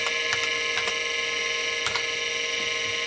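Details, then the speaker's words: Seagate ST225 vintage MFM hard drive on an XT clone during a directory listing, with the access light flashing: irregular light head-seek ticks over a steady high spindle whine; normal reads. "a quick directory see the flashing light there tells us there's drive access there's our directory all right so we know that the drive is working"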